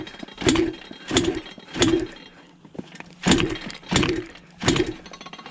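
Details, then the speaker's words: Modified Yamaha Blaster two-stroke ATV after something let loose while riding: six kick-over strokes with good compression pulses but no firing; no-start because flywheel came loose, red Loctite forgotten on flywheel shaft. "okay so your boy forgot red Loctite on the flywheel shaft"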